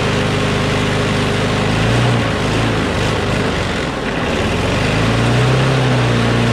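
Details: Craftsman push mower with a Briggs & Stratton Quantum engine, about 23°F, after easing spring tension: fast, steady beat with no surging or hunting, sounding much better; slight vibration, owner suspects the blade is a little out of whack.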